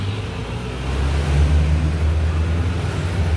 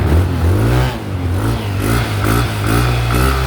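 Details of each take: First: Yamaha Nmax scooter, 79,000 on the odometer, no engine warning light, arriving loud: low drone with loud, uneven mechanical drumming; top and bottom end both worn, before rebuild with 60 mm oversize piston. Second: Yamaha Nmax scooter at 79,000 on the odometer after top and bottom end rebuild with 60 oversize piston: revs up and drops back cleanly, smooth even pitch, no knocks or rattles, no engine light; quiet, healthy.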